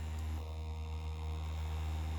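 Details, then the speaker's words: 3D-printed maglev spinner motor with small ring magnets run at 12 V: steady, low, even hum with no knocks, rubbing or wobble; spinning fast and humming perfectly. "yeah 12 volts that thing is flying and it is humming perfectly"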